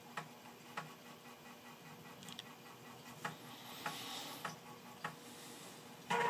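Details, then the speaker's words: Amiga 600 after about ten years in storage loading a copied game floppy: quiet, irregular crisp ticks with short buzzy seeks as the head steps cleanly; healthy floppy drive. "so let's see if the 600 actually reads that it's just nice to hear the disk drive guide frankly"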